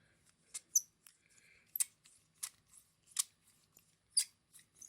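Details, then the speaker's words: Trumpeter/MasterTools 09961 micro hand drill (pin vice): sharp, high squeaky chirps with each twist as it rubs without an end bearing — squeaking hand drill from lack of end bearing. "hear that squeak n gets on your tits"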